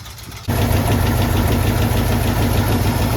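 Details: Warm AMC 327 V8 in a Jeep idling after exhaust manifold gasket and flange replacement: deep steady rumble with a faint repeating knock about three per second, now audible with exhaust quiet; owner unsure if bottom or top end, cause unknown.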